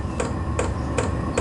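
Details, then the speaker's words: Vevor portable diesel heater starting up on low setting: the fuel pump comes in with a loud, crisp tick about every 0.4 seconds over a low hum. This is normal startup pulsing. "fuel pump coming in I've only got it on the low setting and that fuel pump tick tick tick tick it is quite loud"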